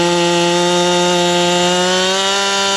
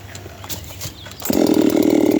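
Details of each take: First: 7310 chainsaw with a steel RS chain hand-filed after hitting dirt (file tilted to the first notch, angle between 25 and 30 degrees, rakers untouched) screams at full revs, then bogs slightly into a log and holds an even cutting note; cuts smoothly. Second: 7310 chainsaw test-cutting a small log with little bar in the wood: quiet handling, then the saw bites in and holds a high, screaming pitch that barely drops; the light cut load lets it over-rev.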